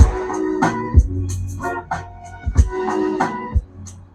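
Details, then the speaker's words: CA18 long-body power amplifier under repair for a channel A clip light fault, channel 2 tested with a watt meter: clean, steady organ-like music with no hum, crackle or dropouts; channel 2 working properly. "Channel 2-ओ ठीक से काम करें कर रहा है।"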